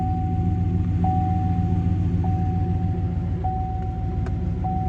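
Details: Damaged 4x4 four-door salvage-auction truck with deployed airbags: after starting it settles into a steady, even low rumble with a faint constant chime; smooth, healthy idle.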